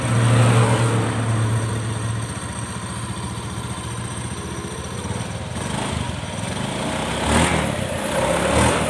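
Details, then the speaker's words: Honda Beat F1 scooter test run after CVT final drive (gardan) repair for a geleg knocking noise: even, steady drone with no knocking from the drive; healthy CVT and final drive. "Ya udah itulah tadi video tentang kerusakan pada gardan CVT Honda Beat karena pemasangan sudah selesai kita lakukan pengetesan"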